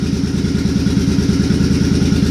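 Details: Suzuki Boulevard C50 V-twin after a new fuel injector and Cobra FI2000 fuel controller install: steady potato beat around eight pulses a second, even with no skips; earlier idle miss seems fixed, clean healthy idle.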